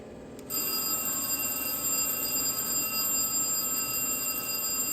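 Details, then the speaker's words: Electromechanical telephone central office major alarm: quiet room, then an electric bell rings steadily and continuously when a detecting relay releases on lost ringing/power plant output, also lighting a lamp; power plant failure alarm bell. "when these contacts are closed the alarm circuit is activated lighting a lamp and sounding a bell"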